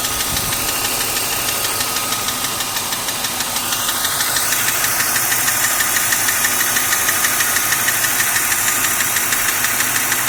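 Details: BMW M52 inline-six at idle, ticking only above 85 °C engine temperature, louder over last 6 months; tappets (HVA) and guides already replaced; hot oil pressure at cylinder head only 2.25 bar at 5000 rpm. Sharp very regular light tick about three per second; cause unknown.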